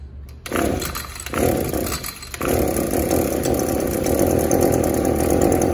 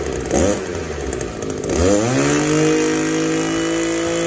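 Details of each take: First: Echo SRM-280 trimmer on the bench will not rev up; spark arrester screen checked good, carburetor seems okay, customer fitted a new plug. Engine fires in rough surges, never reaching a clean high rev: clogged catalytic converter/muffler, cleaned as the fix. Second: Echo SRM-280S two-stroke trimmer that would not rev up, after cleaning its clogged catalytic converter (spark arrester screen, carburetor and new plug already fine), lightly warmed: climbs quickly from rough low speed to a clean, steady high scream without stumbling; healthy full rev.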